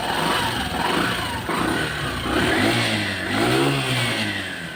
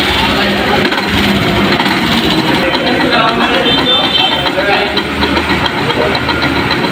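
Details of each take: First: Yamaha Saluto motorcycle after two broken nuts that caused the running engine noise were replaced with three new nuts: clean blips that settle back, no knocking or rattles; normal running. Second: Yamaha Saluto motorcycle, noise appearing suddenly while riding: uneven metallic knocking clatter from the single. Inside the magneto rotor, two nuts were found broken and one completely loose, causing the loud noise.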